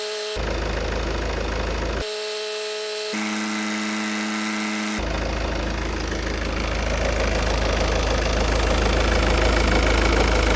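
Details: 2016 Ford Focus ST 2.0 diesel after service with new fuel filter, oil, air and cabin filters, primed before start, engine cover off: catches and settles into a steady, even idle clatter, slightly louder; no misfire or hunting.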